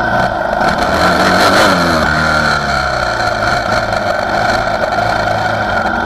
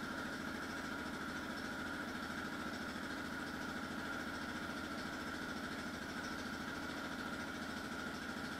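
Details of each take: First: 2004 Yamaha Raptor 660R single-cylinder ATV with new eBay carburetor and Dynojet jet kit; revs rise and fall with spits and pops at low throttle — fuelling suspected untuned, owner plans a mechanic dyno tune, not confirmed. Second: 2004 Yamaha Raptor 660R single-cylinder ATV cold start with new eBay carburetor installed; even steady thump at idle with constant tone above, no misses or hunting — running clean.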